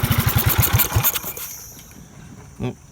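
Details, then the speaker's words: Briggs & Stratton 206 cc engine on a barn-find go-kart, no governor, no clutch, not bolted down: fast, uneven popping for about a second then fades and quits; runs briefly then stalls, cause unconfirmed. "that ran for a little bit also I'm not running a governor so this thing will run I don't know how many RPMs but it'll run all the way to Full Throttle"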